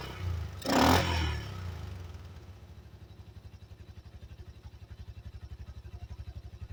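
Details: 1985 Yamaha Moto 4 ATV after old carburetor replaced with a new one; brief crank, then an even, steady putt about three beats a second with no misses, running quieter than ever: normal idle.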